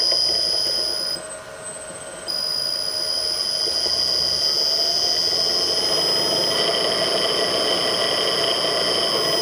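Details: Millport/Bridgeport mill motor with rusted, worn-out bearings (6206Z bottom, 6205-2RS top): steady high-pitched whine with a faint rough, gritty hiss over the motor hum; worn motor bearings.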